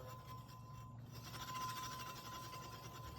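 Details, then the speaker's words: Juiced HyperScorpion e-bike front disc brake, stock 180 mm rotor, before replacement with a 203 mm floating rotor; faint rhythmic scraping each wheel turn, pad rubbing the rotor because the outside caliper piston is binding. "You can hear that. It's just a lot of rubbing. The outside piston's binding up."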